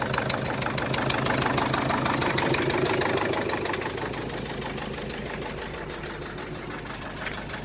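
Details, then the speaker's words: 2001 Mercedes Sprinter W903 diesel, 231,444 on the odometer, cold start after long storage: sharp regular chuffing ticks about three per second over a rough idle, a little smoky, easing slightly as it settles; injector seal blow-by, comically bad. "Well, you can hear those injectors and chuffing apart. You can see the injectors chuffing. That's how bad they are."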